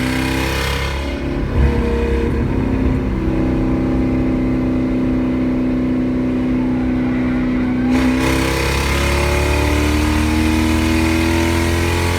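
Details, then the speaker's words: 1UZ V8 Toyota Soarer drift car with decat pipes cut so close to the rear they act as divided straight pipes: extremely loud, echoing under the car, rough uneven gurgling burble between revs. "Extremely loud and echoed under the car, but I mean, arguably sounded pretty horrible at times, gurgling."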